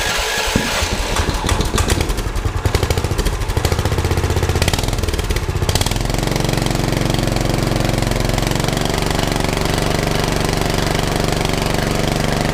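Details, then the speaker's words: Predator 420cc 13hp single in a golf cart after carb cleaning and an exhaust upgrade: chugs unevenly for a few seconds while catching, then settles into a steady, even thump; running pretty good. "all right that's running pretty good"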